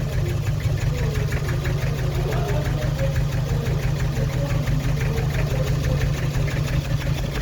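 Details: Nissan TD27 diesel shaking and smoking at idle: lumpy idle with uneven thump about every two-thirds of a second over the clatter; cracking injector pipes one at a time, smoke stops only at cylinder four, so cylinder four is faulty.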